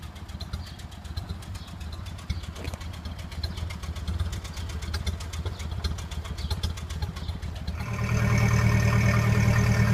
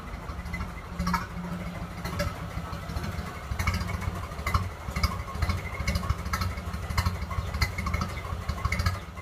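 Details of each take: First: 1928 Ford Model A Tudor warmed up after a drive, with a new Aries muffler and exhaust installed: slow, even exhaust pulses about three a second, then a steadier, fuller note; it idles down smoothly, normal idle. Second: Early 1928 Ford Model A Tudor sedan with old reproduction muffler, before muffler replacement, not fully warm: low, slow, lumpy idle with irregular pulses, running a little rough.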